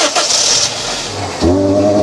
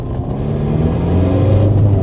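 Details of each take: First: Car bought from DriveTribe, jump-started in a field: engine catches and runs briefly with a strained, rough note, then sags and nearly dies; collapsed catalytic converter blocking the exhaust, like an unattached airbox. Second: Car from DriveTribe with exhaust exiting early: deep, even rally-car-like exhaust rumble climbing cleanly to about 3,000 rpm on a lap, no stutter; runs fine.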